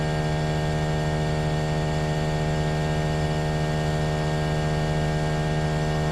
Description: Trane XV18 heat pump installed December 2021 by Sal's Heating And Cooling a very noisy lemon.